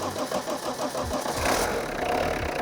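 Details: 30-year-old abandoned Peugeot 106 diesel, run with fuel drawn up to the pump, pickup out of the tank: starter churns briefly, then it catches and settles into a steady clattering idle.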